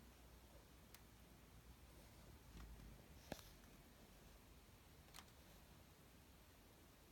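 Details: Sony Bravia KD55X8509C TV giving sharp single intermittent clicks every second or two at irregular spacing in a quiet room; cause undetermined.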